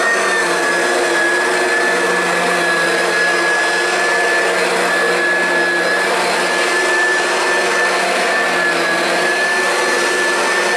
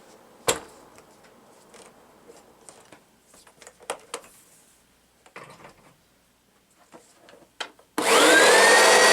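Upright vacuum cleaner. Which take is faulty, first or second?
second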